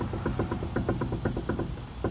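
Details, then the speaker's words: Suzuki Alto, on a lift: quick, hollow clunks as the front wheel is rocked left-right, from play in the inner tie rod ball joint at the steering rack; causes clunking over bumps and manholes; fixed by replacing the steering rack with a rebuilt unit. "ちょうどラックとタイロッドのところこれもですねボールジョイントついていますおそらくここの方だと"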